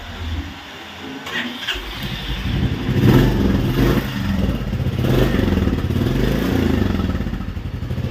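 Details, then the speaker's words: Royal Enfield Classic 350 Reborn fires on first starter press and settles into a steady, even idle with no misses, after fixing a no-start caused by a blocked fuel injector. "ആയിട്ടാണ് നമ്മൾ touch ചെയ്തപ്പോൾ തന്നെ start ആയി വേറെ മിസ്സിങ്ങോ കാര്യങ്ങളോ"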